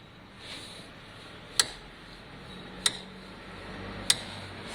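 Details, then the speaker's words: Cheap Chinese motorcycle: sharp, light ticks about every 1.25 seconds as the wheel turns; suspected bent stand arm catching, since there is no stopper, not confirmed. "Quite clear where the noise is. I think the stand has bent."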